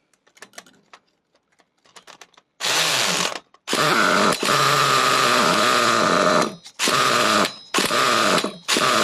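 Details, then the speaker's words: Nitro RC buggy engine at full throttle after opening the idle gap: buzzy howl cuts out in ragged gaps instead of revving out, won't hold full revs; low-speed needle later turned out about 3/4 turn. "I mean, got that full throttle. We should be revving these nuts off."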